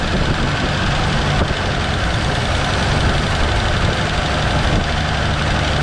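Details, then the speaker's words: 1970.5 Ford Falcon after sitting 28 years, on hand-fed fuel: steady low idle holding without stumbling, no smoke or blow-by; not drawing tank fuel, owner suspects dead fuel pump. "Well, it runs. It runs awesome. She's not grabbing this though. Maybe the fuel pump died."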